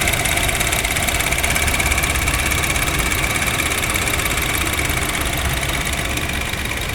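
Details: Honda Jazz GK idling with A/C on: steady high whirring and faint ticking, noise only with A/C on; mechanic suspects a bearing or the A/C/alternator belt, unconfirmed.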